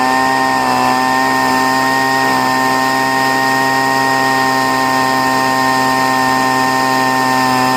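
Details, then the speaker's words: Poulan two-stroke leaf blower, first start of year after storage, choke off: high, steady, thin-pitched scream without burble, running lean; high-speed mixture screw (outer adjustment, toward air cleaner) had to be richened, needed every year. "And what I had to do is I richened up the, which I have to do every year for some reason. I had to richen up the high-speed mixture screw."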